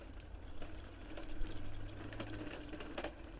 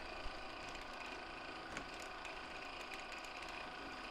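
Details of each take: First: 1/6 scale Armortek Hetzer Jagdpanzer 38 tank, 24 V, first road test on patio: low motor whirr with faint tick about every half second; drive sprocket binding, owner hopes removing a link to add track tension fixes it. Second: 1/6 scale Armortek Hetzer Jagdpanzer 38 tank, 24 V, first road test after re-tensioning rear track: even drive motor whirr with light irregular clicks from road wheels moving on their springs; tracks no longer binding.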